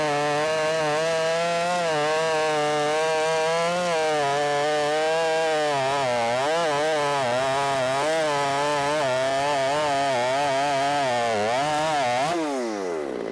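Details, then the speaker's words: Ported Shindaiwa 757 chainsaw after timing advance, no jetting changes, cutting big wood: high steady scream holding pitch under load, revving higher than before, then winding down. Strong high-RPM cut. "but you could hear it SPO up boy it got way up into the RPM range and it didn't seem like it was doing that previously so it does seem like it's getting up into the RP RPMs better than it it was before"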